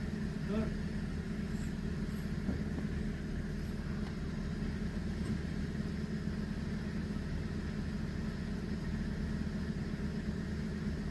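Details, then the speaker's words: Car idling after refitting the original engine mount in place of a suspected aftermarket part that caused a vibration noise when pulling away: steady, even low hum with the rattle gone. "Yok yok. >> İyi ses gitti. Çok iyi. 10 numara oldu."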